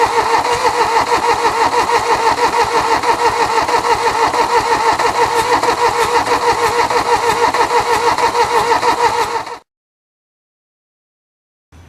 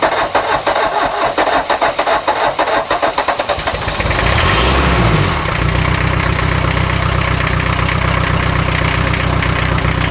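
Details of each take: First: 1979 Mercedes-Benz 240D sitting 13 years: steady cranking about three turns a second with no firing; glow plug circuit not activating despite cleaned connections and new fuses, relay suspected. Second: 1979 Mercedes-Benz 240D parts car, first start in 13 years, cold, glow plugs wired directly from the battery, no exhaust system: slow uneven cranking for about four seconds, then catches into a steady rough diesel idle; normal diesel cold start.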